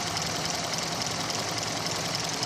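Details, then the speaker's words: 2000 Toyota Avalon that has sputtered for weeks with lost acceleration, new mass airflow sensor fitted: a very low, uneven, lumpy idle with the car shaking and nearly dying. Rough idle; the owner suspects running lean, timing or weak spark, unconfirmed. "as you can see the RPMs are very low and that's not me shaking that is literally the car shaking it's running like that right now"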